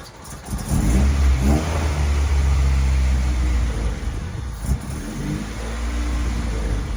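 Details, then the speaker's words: Honda Civic with B20 engine swap and new header, built to fix a hesitation problem: quick rev then an uneven, lumpy, stumbling idle; it idled fine the night before, cause not identified. "well unfortunately it still runs like it wasn't idling like this last night"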